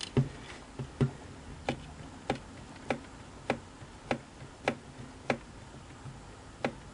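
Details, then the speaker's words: Singer 457 sewing machine horizontal arm shaft rocked by hand: sharp isolated clicks about once a second from end play, loose adjusting collar not snug on bearing; noise seems from far end, fix by moving collar against bearing. "so hopefully you heard that and what's funny is that the sound comes down from this end and that's what fools most people"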